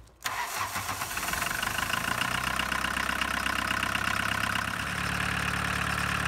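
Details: 1985 Volkswagen 1.6L diesel started after glow plugs warmed 15 seconds: brief crank, catches at once and settles into an even clattering idle without stumbling; normal diesel start.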